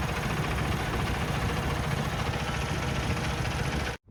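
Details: Peterbilt 579 with ISX diesel, just started after a fuel filter change and priming with the lift pump: steady, even idle rumble with a smooth, unbroken beat and no misses or knocks. Normal idle.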